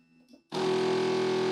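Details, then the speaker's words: Evolution 3 CNC: the Y-axis home switch has failed, so the stepper motor keeps driving at the end of travel. A steady, harsh, single-pitch buzz with no movement until power is cut. "what's happening here is the y home switch is uh is not working so it keeps on trying to drive that motor and you can hear the buzz"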